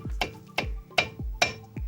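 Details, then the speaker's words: Mazda CX-5 under warranty, knocking after a caliper repair. At the front left caliper, the pad makes sharp hollow clacks about three per second against the caliper body. The guide pins have no play; the fix is taping the pad to the caliper. "Смотрим по переднему левому суппорту. Вот стук. Также колодка"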